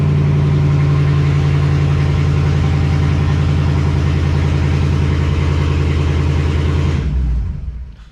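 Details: Hellcat-swapped car that had a crank-no-start, fuel pump replaced: deep, steady, even idle rumble with no stumble or misses, then a clean shutdown; the engine is now fuelling properly.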